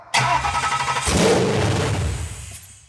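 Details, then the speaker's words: Junkyard supercharged SVT Lightning engine on a pallet with open headers, minimal hookups: cranks, catches with a sharp loud bark, runs rough about 1.5 seconds, then dies; stalls right after start because the throttle was sticking. "this was sticking for some reason huh okay try it again"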